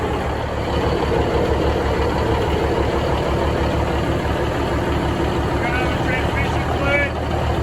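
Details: Budd RDC 9114 railcar diesel, engine No.1, first start after replacing leaking transmission oil cooler, flushing transmission and refilling coolant and oil. Deep, steady chug settling into even idle, no knocks or misses; running normally.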